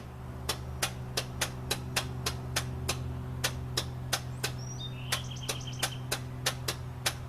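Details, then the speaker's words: Old classic truck on a cold start, before repair, starter solenoid needing work: loud low exhaust drone with sharp, evenly spaced ticks about three a second; engine running rough, cause not yet found. "it sounds like a battle wagon right now and I'll start it up for you before and then I'll start it up after I get done with it today"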